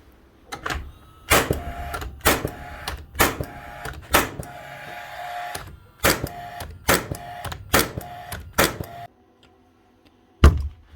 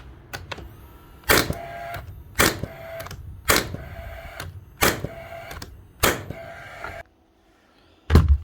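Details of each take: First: Rawlplug B1664 gas-powered second-fix nail gun after dismantling, cleaning and service: sharp, crisp shots in quick succession, clean snappy cracks with quick recovery; firing faster and freer than before service. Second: Rawl Plug B1664 gas-powered second-fix nail gun before servicing: six sharp shots about a second apart, each followed by a dragging ring as the driver pin is slow to return; sticky driver blade, slow return.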